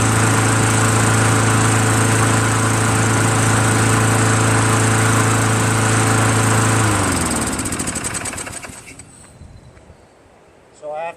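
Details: Craftsman Eager 1 22" self-propelled mower, Tecumseh 5.5HP engine, after carburetor rebuilt from five parts carburetors and governor adjusted back slightly: strong steady single-cylinder beat for about seven seconds, then even wind-down and stop; normal running.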